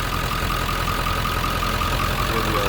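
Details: 1997 Ford F-350 regular cab 4x4 diesel; steady even diesel clatter at idle with deep low rumble underneath, no misses or odd knocks, normal idle.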